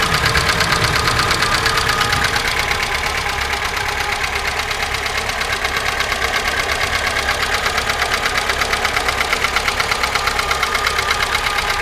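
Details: 2005 VAZ 2107 injector engine, formerly quiet, now rattling at idle; steady sharp tick about twice a second; owner unsure if valves, worn chain or camshaft, mechanic suggested worn cam lobes.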